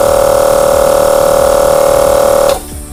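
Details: 25 L air compressor after its head was cleaned, reset and refitted, test fill: steady motor hum with firm pumping tone that stops abruptly as the pressure switch cuts out at the set pressure; healthy run, safety valve fitted as backup.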